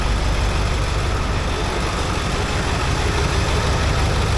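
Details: Ford F250 7.3 Powerstroke diesel at idle after a crank-no-start fix (two starters, a solenoid and a new injector drive module), engine light on: deep, steady rumble with even beat, no misses or knocks; running smoothly.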